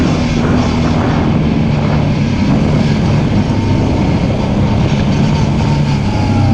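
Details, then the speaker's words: Off-road machine with a CVT, on its first trail ride after being brought back to running, warning light on: steady, labored drone under load, bogging instead of pulling cleanly. The CVT drive belt was slipping and later broke. "Dang it, I know what that is. That's the belt. That light's been on and it's slipping."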